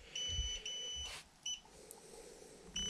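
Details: Xiaomi M365 scooter error 21: high beeper gives two long beeps, a short chirp, then a long beep; BMS-to-controller communication fault, here caused by a problematic three-wire connector.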